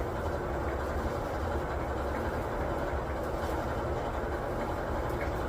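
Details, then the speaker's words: 20-year-old LG front-load dryer after total rebuild for thumping rollers and no heat, top off: steady even low rumble of the drum turning smoothly, quiet with no more thumping. "Oh, running good. Sounds good. It's quiet, no more thumping."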